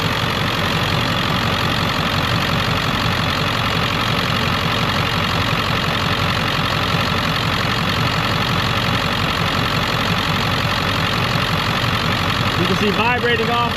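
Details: 2001 Ford Excursion Limited 7.3L Powerstroke diesel 4WD, 142k miles, warm, heard under the hood, freshly serviced with coolant flush, filters, transmission service, new batteries: even, steady diesel clatter at settled idle with no miss or extra knock; healthy normal idle.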